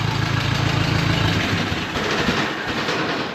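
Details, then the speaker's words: 1950s–60s "doodle bug", possibly a former golf-course or highway mower, firing after the coil was powered with a jumper wire. Settles into a steady throbbing idle with even firing and no knocking or misses; oil pressure present. Normal idle. "Okay, now I bet it fires off. Oh man, listen to it purr. That thing's running good."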